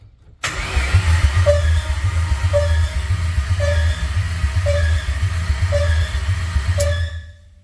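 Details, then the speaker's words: S197 Mustang with Coyote swap, spark plugs removed and holes covered by coil pack cover: fast, even starter cranking, about four turns a second, with no compression pulses or firing; cluster still shows RPM from crank sensor. "Now I don't have any spark plugs in the engine, so but the holes are covered with a coil pack cover, so you'll hear a little bit of a, but yeah, there's ACC on, and then"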